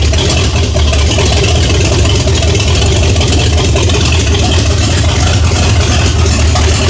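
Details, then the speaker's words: 1978 Chevy Nova big-block Chevy, stock manifolds and intake, no mufflers, revived after sitting 21 years: loud deep rumble with steady even lope, no knocks or ticks, 50 psi oil pressure; healthy idle, possibly more than stock cam. "Um but this thing sounds really healthy."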